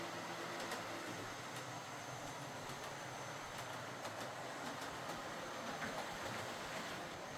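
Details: Model HST power car with high mileage and worn brushes, test-run after a full ring field service, bogie cleanup and replacement brushes: even, unbroken motor hum with faint track clicks, no catching or scraping. Normal running.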